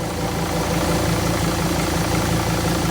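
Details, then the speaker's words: Mercedes Sprinter diesel at idle: fast raspy moped-like buzz pulsing steadily, sometimes louder or quieter, worse while driving, began the previous night; source not yet found. "let me show you what the noise sounds like it's running listen for the little moped sound"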